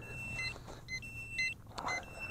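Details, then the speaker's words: Hubsan H122D X4 Storm FPV micro drone after flight on a cheap battery: short high two-tone beeps repeating about twice a second, transmitter low-battery warning; more throttle was needed to stay airborne. "I'm gonna assume that that is it's battery protection, that you get a low battery warning."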